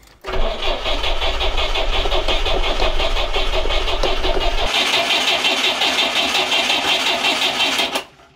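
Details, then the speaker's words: GAZ Volga M24 (Soviet, revived after years stored) cranking steadily for several seconds with even compression on all four cylinders, never catching; no fuel arriving. "Je crois que j'ai v une ne manquerait plus que de l'essence pour démarrer alors. Mais pour l'instant patine d'alimentation."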